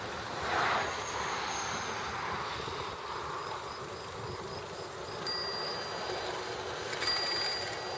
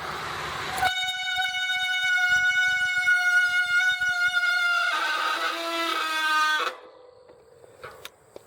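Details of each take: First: Bicycle brake after spraying electrical-grade silicone and bedding in the brakes: spinning wheel braked with only a soft rub and two faint brief chirps, squeal largely gone. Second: Bicycle brake squeal: loud, piercing tone holding one high pitch, then dropping lower before cutting off.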